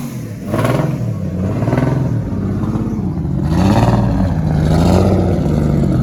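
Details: RB25-swapped Nissan Cefiro with new turbo, fresh start with uneven blips: lumpy, stumbling exhaust note under each rev, one cylinder not pulling; cylinder 6 flooded again after an earlier burnout blew a pipe off.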